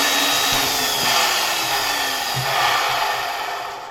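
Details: 1973 Zelmer 01A vacuum cleaner, type 34 motor run slowly on a voltage regulator at much reduced voltage: hissy whine with dry scraping rub and uneven ticking; friction suspected from turbine rubbing the housing rather than motor bearings; capacitor getting hot.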